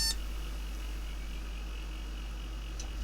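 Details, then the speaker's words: Second-hand retro PC with 512MB DDR RAM, powered from direct mains: a short beep at power-on followed by a quiet hum. The owner suspects a RAM problem. POST error beeps. "well i made a noise oh yeah it's bleeping okay sleeping sounds like a problem with the ram to me"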